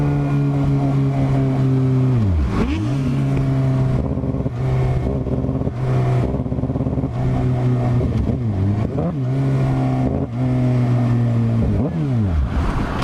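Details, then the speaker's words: 2007 Suzuki GSX-R 750 pulling up and dropping through the gears with an uneven, stumbling beat, feeling like three cylinders, plus a thin whine; electrical fault, owner suspects stator or regulator/rectifier after battery fell from 13 to 9 volts and it died. "it even feels like we're running on like three cylinders and there's this weird whining noise that I've been hearing something's up clearly I mean clearly"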